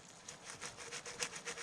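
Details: 2001 Chevy Silverado 2500 transfer case during rebuild: quiet gritty rasping in quick bursts as a loose bearing is rolled by hand, a worn bearing grinding.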